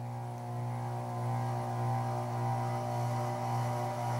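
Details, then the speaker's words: Casablanca Genesis Gallery ceiling fan K4B on medium speed: steady loud low hum with slow beat about twice a second; likely light kit vibrating. "can hear that this fence really loud on medium probably just the light can be vibrating"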